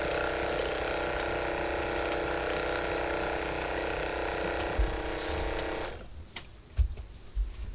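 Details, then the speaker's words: RV fresh-water pump on a temporary 10 A hookup: a steady hum that runs unchanged, then cuts off, with no water delivered. The owner thought the pump was dead, but the cause was a cracked water miser. "nothing it's trying but it doesn't want to pump I think all I did out of all of that was just prove that that pump is pooched"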